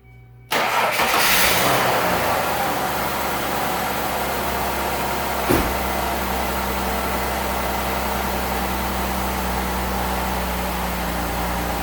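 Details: Ford Escape started after PCV valve replacement and battery cable reconnection: the engine catches cleanly and settles into a smooth, even idle with a steady hum and no ticking, hissing or misfire; sounds good.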